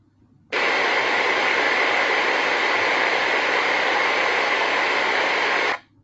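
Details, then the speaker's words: Ultrasound probe recording on a motor bearing. Even, smooth rushing sound with a smooth time waveform and no impacts: healthy, normal bearing. "In this case, we have smooth time w. We have normal rushing sounds."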